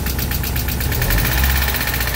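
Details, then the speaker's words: Mazda Miata after manual conversion, jump-started, idling with a fast even ticking clatter over a low rumble; owner unsure whether release bearing or exhaust, asks if there's oil in it. "What is that? Why is it so noisy? Is there oil in it?"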